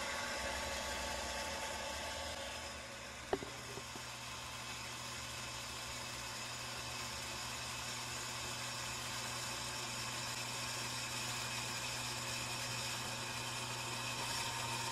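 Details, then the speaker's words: Shallow well pump on a solar-powered system, unused for a year, winter start-up without priming: steady even motor hum with constant whine and a brief early click, no knocking or surging; tank filling to about 50 psi, pump running normally. "all right i can hear the tank filling up so far so good"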